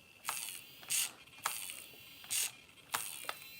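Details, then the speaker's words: Traxxas Slayer Pro throttle servo swung to full travel in reverse: about five short harsh buzzing grinds; the throttle servo is dead, steering servo fine. "do you hear that it's making tons of noises oh throttle servo is dead and that is full swing in reverse"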